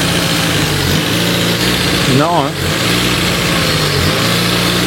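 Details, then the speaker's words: Renault Twingo with the throttle body removed from the intake manifold: fast, steady high idle with no dip, from air passing through the idle hole because the new idle air actuator won't close properly; no intake leak found. "ok donc c'est bien là par le trou du ralenti qu' a le l'air qui passe c'est mon nouveau actuateur qui arrive pas à fermer correctement"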